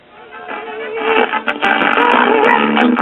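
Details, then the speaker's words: Olympic (rebadged Electrophonic) stereo receiver amplifier, one channel with 1.8 ohm emitter resistors replacing original 1 ohm: music harsh, fuzzy, clipped on loud notes; still distorted but less so; owner suspects output transistors' characteristics shifted despite testing good. "I have 1.8 ohm resistors in one channel and as you can hear it's still distorted but not as bad as the Channel with"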